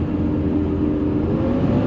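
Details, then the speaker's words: Ford 6.7 Powerstroke diesel, 56,000 miles, at highway speed around 70 mph, engine near 2000–2500 RPM with fan spinning faster: loud, steady whooshing roar; viscous fan clutch stuck engaged. "That's crazy. It sounds like a school bus. Big Mack truck. So it's definitely stuck on right now."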